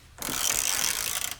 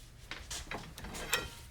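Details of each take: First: Harbor Freight Pittsburgh Pro composite 3/8 in drive ratchet after torque testing to 202 ft-lb: a quick, crisp run of even pawl clicks, no slipping or crunching; ratchet still working normally. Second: Harbor Freight Pittsburgh Pro composite 3/8-inch drive ratchet taken to failure beyond 202 ft-lb: quiet clicking, then sudden sharp clunks and rasping as the ratchet slips under load; pawl suspected broken.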